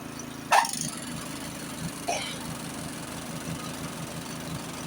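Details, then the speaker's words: Honda snowblower pre-storm check, augers engaged with engine running: a clunk as augers engage, a softer second one, then even churning with no grinding or rattle; augers working normally. "You can hear them working. Or you can clamp it down and make sure the augers are turning."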